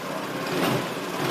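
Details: Honda Lead scooter idling after repair of a badly done earlier job that damaged an engine part and caused scraping: short burst of light, steady buzzing idle, mic close, no scraping or knocking, engine healthy.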